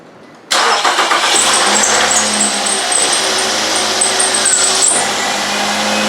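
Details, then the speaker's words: 2010 Nissan Altima 2.5L after alternator replacement: on startup a thin high squeal rides over the idle for about four seconds as the adjusted belt seats on the non-grooved pulley, then it is fine. "Had to adjust that belt. That squeal was the belt kind of lining itself on the non-groove hose. Didn't come off, so now it's good."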